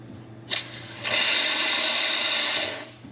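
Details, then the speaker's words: Lelit Bianca V3 dual-boiler espresso machine, hot water spout dispensing: loud steady hiss over low hum, sounds pressurized but water comes out very hot without pressure or splashing; normal. "You hear all that noise that makes you think that it's coming down with pressure, but it's not. It is really, really hot, but it's not like it's gonna splash or anything."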